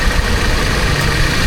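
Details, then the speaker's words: Toyota Commuter van with aftermarket AC, new compressor fitted after the old one knocked loudly when engaged, high side about 170 psi, engine idling: compressor engaged, quiet, no knocking, slight engine shake from the aftermarket compressor. "อันนี้เปิดคอมนะครับคอมทำงานครับผมเสียงเงียบเลยนะครับไม่เหมือนตอนแรกมาเสียงดังคาๆๆๆเลยนะครับเวลาเปิดแอร์นะครับ"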